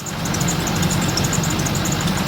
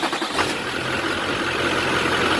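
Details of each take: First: 2003 Chevrolet Silverado 3500 with a 6.6L Duramax diesel, idling: a thin, high chirp repeats several times a second from the serpentine belt drive, traced to a worn alternator pulley bearing. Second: 2003 Chevrolet Silverado 3500 with 6.6L Duramax diesel idling after serpentine belt work: steady, even clatter with no more belt squeak. If the squeak returns, the alternator pulley bearing is the next suspect.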